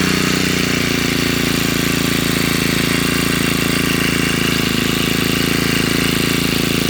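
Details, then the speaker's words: Honda GX35 four-stroke brush cutter after replacing a cracked oil hose (crankshaft seal checked, not leaking), idling to warm up and check for oil leaks; fast, even buzz at constant pitch, no surging or rattle: normal idle. "แล้วก็จะติดเครื่องไว้สักพักนะครับเพื่อรอดู้ว่าเวลาเครื่องร้อนนะครับน้ำมันเครื่องมันจะมีรั่วซึมตรงไหนบ้างนะครับ"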